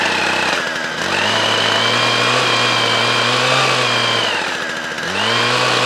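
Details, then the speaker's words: Hedge trimmer stored in the shed over winter with two-stroke fuel in it, after starting: crisp two-stroke buzz revving up and settling back, picking up cleanly each time; runs well after winter storage. "so that's good so that's all running that one runs on foot with a one so we're good with that one"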